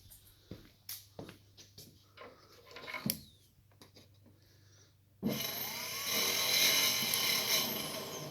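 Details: Volvo electric power steering pump fitted to an LS-swapped Subaru, run from the battery: a few dry clicks, then a loud harsh high-pitched scraping whir; a dent in the housing is suspected to be hitting the impeller, pump likely damaged and needing replacement.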